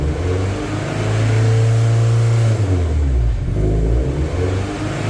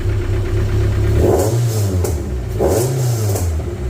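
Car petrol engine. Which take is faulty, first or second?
first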